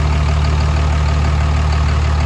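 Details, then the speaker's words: 2005 Cummins diesel truck at first start after the build, good fuel pressure, check engine light on: smooth, deep, even idle with no valve-train ticking, no lift pump noise and no odd knocks; normal idle. "there doesn't seem to be any leaks it sounds good uh the valve train sounds pretty good"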